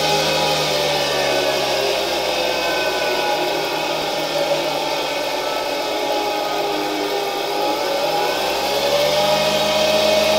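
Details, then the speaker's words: SK-5 motor from a 1960 Alfa II vacuum cleaner under test: high steady whir climbing in pitch, with faint rough bearing hum and noisy turbine rush, slight old-motor noise but works; brushes to be replaced later. "It's like in old motors: you can hear the bearings a bit, the turbine is a bit noisy, but in general I'm happy that the motor works"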